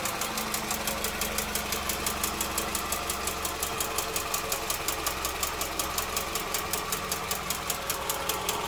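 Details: Toyota Estima 2AZ engine: sharp metallic ticking about 160 per minute over a quiet idle; knock traced to defective factory spark plugs.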